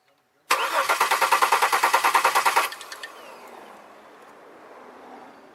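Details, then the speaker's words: 2002 Chevy Malibu no-start, fuel leak ruled out: starter cranks in a quick, even beat of about three per second for two seconds, never catches; cam sensor power present, injectors suspected not firing. "no I got no fuel leak but still good to fire"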